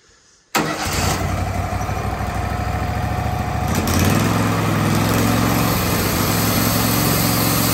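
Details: Wood-Mizer LT15/LT40 sawmill after replacing a bearing, polishing the shaft, tightening the set screw and refitting belts: engine fires up and settles into a smooth, even run with no grinding or rumble. Normal running.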